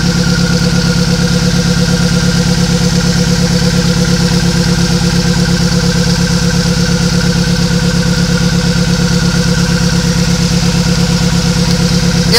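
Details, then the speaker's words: Nissan Sentra at idle with a deep, lumpy chug about three times a second, one cylinder dropping out each cycle. Unplugging injector 1 brings no change, so that injector is dead or unpowered. "no changes. Number 1 injector is either getting no power or it is no good."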